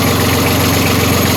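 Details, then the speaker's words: Catamaran diesel engine that stopped in a storm, running again after a wiring/connector fault was fixed: steady diesel clatter at constant pace, no hunting or surging; normal, healthy idle. "so we got the engine working it was wiring and mom's always right"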